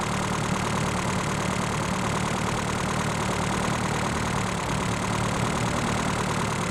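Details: Reliant Robin after fitting a more powerful alternator, now charging 14–14.8 V: steady, even tick-over with an unchanging low drone and no knocks or misses; engine idling normally.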